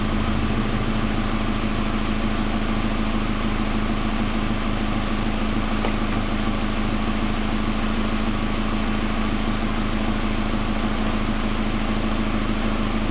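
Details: 1999 Pontiac Grand Am, rebuilt GM LD9 2.4 Quad 4 after first start-up, no alternator running: steady even idle, smooth low hum, no squeal, chirp or rattle over thirteen seconds; engine sounds fine, AC compressor clutch was the noise.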